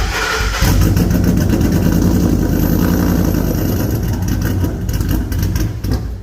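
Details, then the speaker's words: Ford SVT Lightning V8, new-build motor with ported supercharger on E85, aftermarket intake, cold air intake and long-tube headers: lumpy, stumbling idle that sounds cammed though it has no cam; misfiring at idle, many cut wires to be checked. "it's having some couple of issues at idle it kind of has some misfires and kind of stuff"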